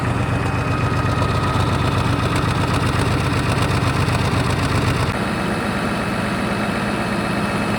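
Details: Caterpillar 3412 diesel genset that had sat for years, running after electrical output checks: deep, steady idle with an even beat, pitch dropping slightly halfway through. Normal idle.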